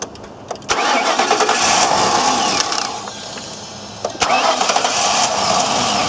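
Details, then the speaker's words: all right looks like a fuel delivery issue to me "all right looks like a fuel delivery issue to me"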